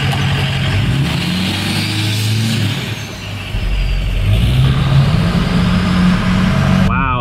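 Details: Ford 6.0L Powerstroke diesel revved after installing new intercooler pipes to fix a boost leak: climbs and falls cleanly through each blip with a steady drone, no hiss or whoosh under boost; intake sealed, no boost leak.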